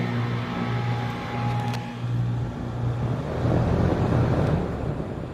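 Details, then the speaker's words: HVAC outdoor unit (service call) on test-button 5-second compressor and fan run after checking contactor voltages: compressor and fan start with a steady low hum, no buzzing or hard-start struggle; normal start. "I'm going to hit the test button, which is right down here, and that'll give us a 5-second compressor and fan runtime."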